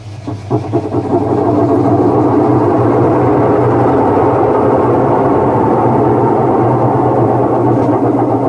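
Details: Whirlpool washing machine running with a loud, steady low roar and coarse rumbling throb, far heavier than normal. Noise problem, cause undetermined.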